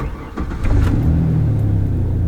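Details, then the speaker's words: Truck cold start after cleaning the idle air control valve: cranks and catches within a second, then a steady, even fast idle above 1000 rpm with no stumble, settling to about 800 rpm after two minutes; normal. "so when you first start your car your idle is going to be above a thousand rpms that's fine it should drop down slowly after about a minute or so"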